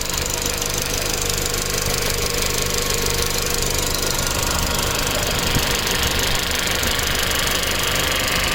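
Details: Tuned B7 Audi A4 1.8T with metal injector cups, new cam chain tensioner, new purge valve and upgraded fuel pump, no codes: quick light ticking about three a second only at hot idle; owner suspects low oil pressure to the tensioner, or injectors.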